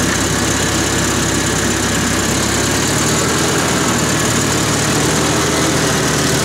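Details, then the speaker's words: 1974 International IH 354 tractor after no-spark fault, points cleaned and regapped, frayed points-to-coil wire temporarily replaced; steady low even idle, but heavy sparking at points makes owner suspect a bad condenser. "I'm wondering if the condenser has gone bad so I'm just going to try to start it up here and get it back into the shed at the very least"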